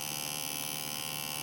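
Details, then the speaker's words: Retroflag MegaPi case small cooling fan, heard close up: steady high-pitched electric buzz then cutoff; fan vibrating in its mount, reduced after rotating the fan to sit more securely, slight noise remains. "you can probably hear it going a little bit, so it's not too bad really."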